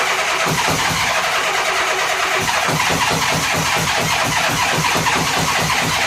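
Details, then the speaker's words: 1983 Honda GL1100 Aspencade Goldwing after carburetor rebuild, throttle and choke cables not yet connected: starter cranks at an even four to five pulses a second with no firing; cranking until fuel reaches the carburetors. "so we're just going to crank it till we get fuel in there"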